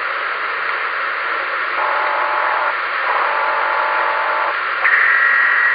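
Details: Ham radio on 10 meters: hiss with a croaking pulse about four times a second and a brief whistle near the end; interference noise of unknown origin.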